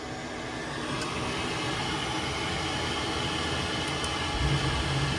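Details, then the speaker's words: Worcester boiler fan after replacement, previously making a loud motorcycle-like noise: steady, even whoosh with no rough drone or bearing rattle; fan running quieter and healthy. "Sounds a little bit quieter now, doesn't it? You beauty."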